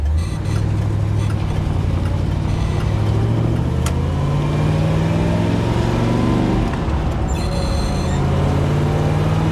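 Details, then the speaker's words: Restored 1967 Impala SS, 396 big block with Muncie 4-speed, on a roughly 60°F day, driving and pulling through the gears: deep exhaust drone climbs smoothly with no knocks or misses; engine sounds good and shifting is buttery. "Oh, and this 396 sounds good. The shifting's buttery."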